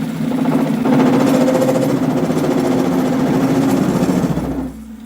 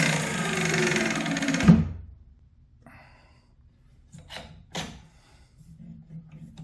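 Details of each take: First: 7x14 two-speed mini lathe after motor upgrade and belt adjustment: motor hums steadily with uneven rapid chatter, about three or four rattles a second, from play in worn, loose gears; worn gear chatter. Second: 7x14 two-speed mini lathe after motor upgrade, gears reassembled with slight play: two short runs with a low hum and a light, uneven chatter from the belt or gears; the lathe runs fine with only minor gear chatter.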